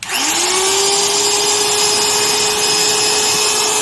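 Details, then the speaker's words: Stanley 91-263 laminate trim router after bearing and brush replacement: spins up quickly to a steady high whine, no squirrel-chirp or rough bearing noise that was noticed before, especially on deceleration and when cold; runs clean. "None of that kind of weird, I call it squirrel chirps, and it's a distinctive sound, and usually you notice it most when a motor is turned off and is on the deceleration."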